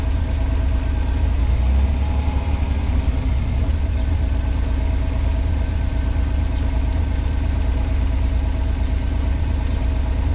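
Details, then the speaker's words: 1986 Pontiac Fiero SE V6, automatic, fully warm: steady, even idle at 1,065–1,070 rpm, too high, with hard engagement into gear; expected around 650–800 rpm. Cause not yet found: vacuum leak, idle control or sensor suspected. "This thing's up to temperature. Idling at 1,065, 1,070. And I'll tell you guys, that's too much with an automatic."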